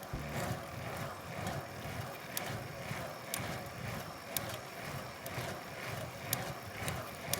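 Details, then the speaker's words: Bicycle frame ticking: a faint, sharp tick about once per pedal stroke, heard only when standing and putting power down. It is easy to blame the press-fit bottom bracket, but the cause is likely simpler. Source suspected, not confirmed. "This time however the ticking came from the bike itself or from the frame you could say. So this noise I got is one of those really irritating ones it's only appears want you to stand up and when I put power down"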